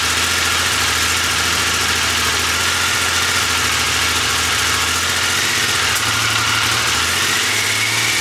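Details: Triumph Legend motorcycle, first start after restoration, previously non-running: even, steady idle with a hissy top end and no knocks or stumbles; normal idle.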